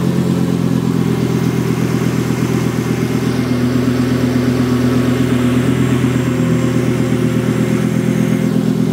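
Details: Volvo S70 T5 fitted with a 2000 V70R engine, first start after the swap: loud, raw petrol engine through an open downpipe, deep rapid exhaust pulse rising and falling with throttle; runs smoothly, normal running with open exhaust.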